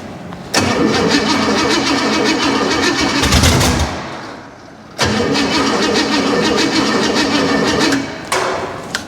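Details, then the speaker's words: Junkyard 305 V8 on its first start, with no exhaust and no accelerator pump, oil pressure present. It fires, then revs rise and sag low-high, drop off and hunt again: a surging idle. More ignition timing is suspected. "she got oil pressure it's not making crazy terrible noises oh at least that I hear the editing on this is going to be brutal low high low high"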